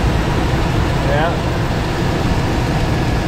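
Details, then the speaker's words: 2004 Chevy Tahoe 5.3 V8 after removing snapped exhaust manifold bolts and refitting manifolds: steady, even low idle with no ticking or puffing; no lifter or valvetrain noise, no exhaust leaks either side; healthy. "I didn't hear any tickety-tick noise. That confirms we do not have any kind of lifter or valve train issues. I hear zero exhaust leaks from either side."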